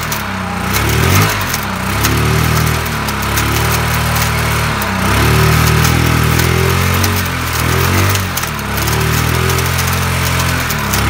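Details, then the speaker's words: Yamaha Mio Sporty scooter revved repeatedly, engine bay cover still closed: dry crackling "kretek-kretek" rattle from the rear CVT growing at higher rpm; cause worn CVT bearings, fixed by replacing them. "seperti itu ada bunyi suara kretek-kretek seperti itu kita kretek-kretek kita belum tahu ya"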